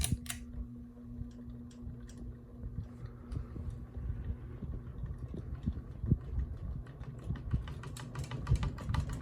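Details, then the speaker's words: Ceiling fan on high speed after being reassembled to fix ticking: uneven light clicking and rattling over a low steady hum; the blades are rattling, and ticking is reduced but not gone. "blades are rattling"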